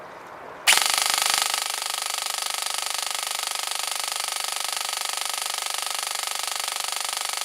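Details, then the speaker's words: Airsoft Entrepôt V2 Xtra Precision Ama Tsu Maru gearbox, after full-auto firing with a hot motor: fast hard metallic clacking about 3.5 per second over motor whirr; loud despite rubber pad on cylinder head. "alors on peut quand même constater que la gearbox n'est pas spécialement silencieuse malgré le pas d'en caoutchou qui était mis sur la tête de cylindre et ben ça claque assez fort"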